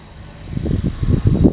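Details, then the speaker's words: Rebuilt John Deere Z225 zero-turn mower, mowing tall Bahia and coastal grass: a short, swelling rumble that steadies as the engine takes the cutting load, no knocks or misses; normal running under load. "But yeah, it's doing real nice. I'm just going to mow where I don't get any rocks or debris."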